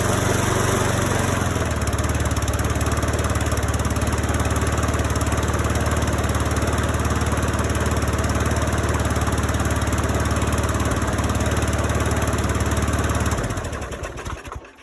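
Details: Briggs and Stratton engine swapped into Cobra rear-roller lawn mower, first start in four months at 10°C on Stihl Moto4Plus fuel: steady even low drone with smooth regular beat, no misses or knocks, clean wind-down at shutdown; healthy.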